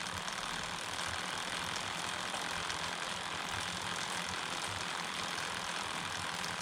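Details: Homemade short-wheelbase bike drivetrain with idler, 11-tooth rear, 39 front, chain keeper off, phone held a hand length away: steady even chain whir, soft hiss, no clicks or slap; normal quiet, about 10 dB quieter than with keeper.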